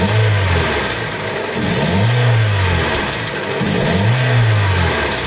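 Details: Hyundai Accent with code P0420 after clearing the catalytic converter obstruction while awaiting a new converter, checked with a vacuum gauge: two clean blips rising and falling smoothly, no choking or bogging, confirming the exhaust restriction is solved.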